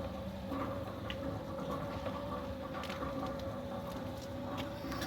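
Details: Newly installed Centurion D5 Evo Smart sliding gate motor during setup travel (gate reversing to end stop); faint steady mid-pitched hum with light clicks, no vibration; finding: normal sliding gate motor running.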